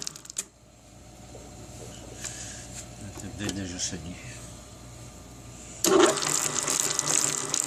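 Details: Hobart A120 12-quart mixer after a rebuild: quiet at first, then a harsh gritty whine and rattle as it starts; gearbox is noisy, cause not yet found.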